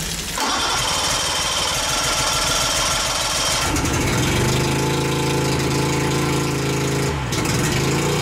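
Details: 1988 Mercury 70 hp three-cylinder two-stroke outboard, first start in years, choked: brief crank, catches and settles into busy, slightly uneven two-stroke idle; runs fine, though fuel leaks from the middle carburetor.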